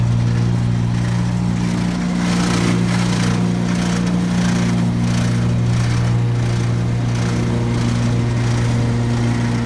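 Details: 2017 Gravely ZT HD 52-inch mower, new, PTO engaged: a steady engine drone with a loose, uneven rattle from the left-side deck belt. It gets quieter when that belt's spring tension is increased; reportedly a known 52-inch model issue without a fix.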